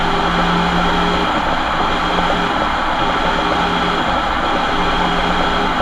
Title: What a bad diff sounds like on a transit van